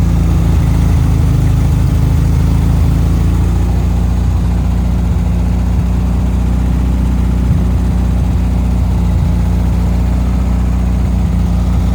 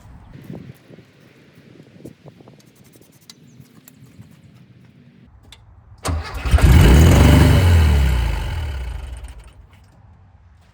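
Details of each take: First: 1974 VW Thing air-cooled engine with Scat exhaust, after freeing a throttle stuck wide open, running off fuel poured into the float bowl: deep, even, steady idle with low rumble and no misses, knocks or hunting. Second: 1974 VW Thing with rare factory hardtop, long-sitting project: catches after the automatic choke is confirmed powered, then roars straight to high revs for about four seconds before dying; throttle stuck wide open because something was pushed fully down and tightened.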